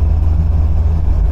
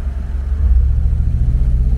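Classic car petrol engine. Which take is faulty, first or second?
second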